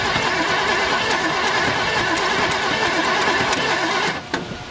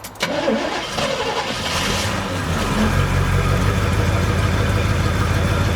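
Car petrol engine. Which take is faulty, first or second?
first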